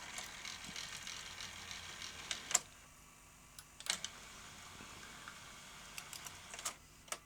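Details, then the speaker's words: Sanyo VTC-M40 Beta HiFi video recorder after its loading belt was replaced, tested before reassembly. Quiet whirring with scattered sharp clicks as the cassette threads, the usual slightly rough mechanism noise. Tape loading now works properly and sounds better. "Oh, good. That sounds better. Let's uh reassemble that again."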